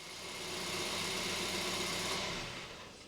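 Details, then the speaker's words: 2012 Kia Picanto 1.2 petrol after spark plug change: quick rev blip falls back to a smooth, even idle with no stumble or missed beats; no misfire. "oh yeah that sounds good I'll just give it a little rev all sounds good it's not"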